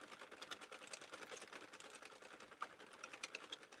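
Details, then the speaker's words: Crank knitting machine, compared favorably with the owner's Central 48 that popped at the handle; light, quick, even clicking of needles as the handle turns, no pops or catches; normal cranking. "rst one guys this it really is cranking like super smooth it's really doing way better than my um Central 48"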